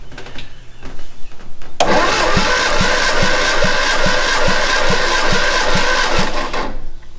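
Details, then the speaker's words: 1962 Austin Healey Sprite MkII engine after 10+ years in storage, compression test cylinder 3 (about 135 psi): starter cranks with even, strong pulses about 2.5 per second, no skipped beats. Normal compression cranking; cylinder 4 later read only 70. "that one's about one 135 getting stronger"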